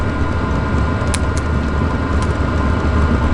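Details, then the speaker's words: Chinese diesel heater in a hot tent, cold start in cold weather. A loud, steady low roar with a faint fan rush and no knocks or rattles; it quiets down once fully running: normal startup roar. "i think it's really winding up now hear that it's not always that loud once it really gets going kind of quiets down initial start up"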